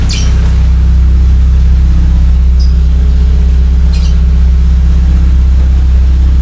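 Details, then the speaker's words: Engine idling at stationary rpm, no throttle, for about 7 minutes during an engine flush before an oil and filter change: a very loud, deep, steady, unmuffled throb from an exhaust leaking at the lower muffler section. "Knalpot saya bocor, pemirsa, di bagian mufflernya yang bawah. Jadinya suaranya kenceng sekali."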